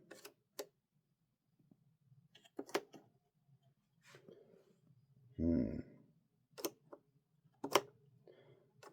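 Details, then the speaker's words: Technics SL-3200 turntable under repair: sharp, irregular clicks a second or two apart with the platter still; a mechanical, not electronic, click from the deck's drive while in neutral. "this is it's not electronic it's mechanical but can hear the really clicking"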